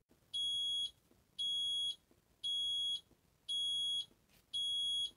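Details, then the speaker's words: Fisher & Paykel Smart Drive top-loader washing machine: continuous steady high beeping, about one beep a second, signals a fatal error that stops the cycle. This differs from the rising tune of a user warning. "the other kind of fault is was as actually referred to in the manuals as a fatal error this means fatal to the cycle the cycle can't carry on and for that it makes this continuous beeping sound like this"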